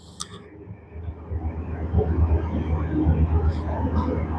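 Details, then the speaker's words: Super General single-door mini fridge on 230 V: low steady mains hum swelling with a tick but the compressor never starts; overload protector very hot and tripping, no continuity until it resets. "we can check here 230 power you can hear the noise again the PT uh overload protector is already gone now"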